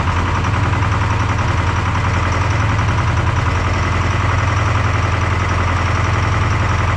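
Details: Detroit 4-53T turbo two-stroke diesel with 9G90 injectors on vegetable oil, low fuel pressure from loose suction hose clamp suspected: heavy uneven lopsided idle, one pulse missing each cycle; running on three cylinders, injector number two dead.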